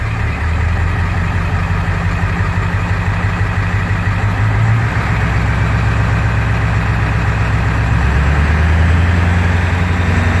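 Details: Swamps Gen 3 engine with 230cc injectors at 100%, cold just after start while tunes are being dialed in: lumpy uneven idle, deep thrum surging and sagging instead of holding steady. Rough idle, cause not confirmed.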